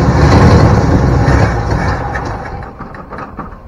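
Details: 1972 Ford Bronco 302 V8, first start in at least 20 years after confirming spark and supplying fuel: engine catches and runs with a low, fairly even rumble that settles and fades; now running normally.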